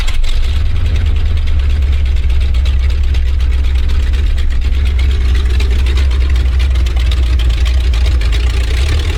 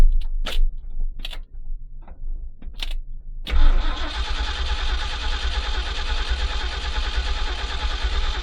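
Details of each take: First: 1970s Ford dentside ramp truck revived after about 10 years with a Chevy HEI ignition module rigged in: low, smooth V8 idle holding even throughout with no stumbling or misfire; running properly. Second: 1970s Ford dentside ramp truck, sat about 10 years, being fitted with HEI ignition: a few clunks, then about five seconds of steady cranking that never fires; owner suspects the rain-soaked ignition module is bad.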